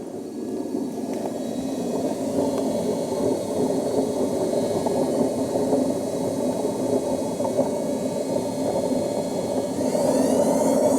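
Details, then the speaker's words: Hoover Nextra HNL6166 washing machine (6 kg, 1600 spin) on spin: loud rough roar with rising whine and thumping severe imbalance from badly broken drum bearings. "that's dangerous that's terribly imbalanced because of how bad it is"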